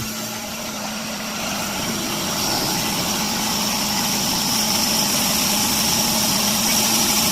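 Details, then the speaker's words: Old boring bar on its fifth cut, boring a 1950 Dodge flathead cylinder for sleeve installation: steady rising hiss over a constant low motor hum, no chatter or squeal; cutting smoothly. "Turn it on. There you go. She's cutting."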